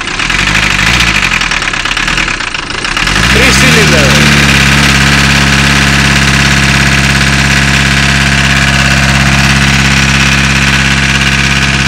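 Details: VW Caddy diesel after cold start: catches then settles into a lumpy, uneven idle with a rhythmic stumble; one cylinder not working, owner suspects a valve problem, not confirmed.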